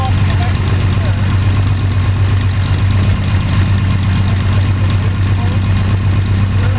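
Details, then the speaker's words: Sonex homebuilt aircraft, Jabiru 3300 six-cylinder engine with Rotec TBI, about 50 hours, first engine start after throttle set a quarter inch and mixture full rich; EGTs 700-800F; steady even low rumble, no knocks or misses, smooth healthy idle. "so that's I'm glad you noticed that sounded really good yeah sounded really good"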